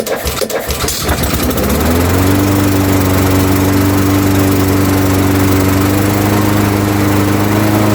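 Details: Honda GCV160 engine on a Craftsman 21-inch lawnmower, pull-started on choke after adding fuel: a few chugs, then it catches and settles into a steady, even drone with no misses; normal running.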